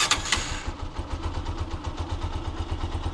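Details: TMX 125 Alpha with hard push-start, new battery, slow charging (stator or rectifier suspected, temporary converted rectifier-regulator fitted, about 12.59 V): short starter whirr, catches first push, steady idle; normal electric start.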